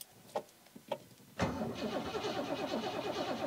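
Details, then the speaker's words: 1973 Rover P6 with a new 4.6 litre Range Rover V8, cold start on choke: a couple of soft clicks, then it catches at once and settles into an even, slightly lumpy choke idle; starts cleanly and now reliable. "this is cold start wow amazing and I can actually now just roll the car backwards on its own power instead of having to tow it on the Freelander or push it"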